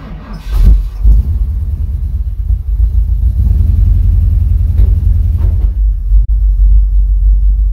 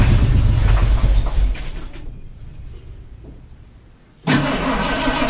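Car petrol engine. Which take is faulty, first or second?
second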